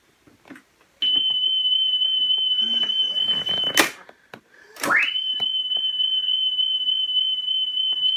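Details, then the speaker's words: National Panasonic RS-612 cassette deck, about 1978, reassembled after service, playing a test tape with output on the right channel only: clean high tone holds steady without wavering, briefly broken by handling noise; smooth playback. "still have the test tape just rewind that still only on the right hand channel but as i said that seems to vary so i'm not really sure what's going on there but we have a nice steady tone"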